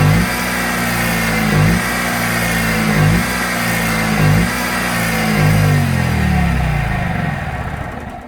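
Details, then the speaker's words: Kohler 6.5kW marine generator during an AVR excitation capacitor test: the engine drone dips and recovers about every second and a half, then climbs near the end. Speed hunting; cause suspected. "As you hear that starts, the generator just going ring, because it's trying to basic"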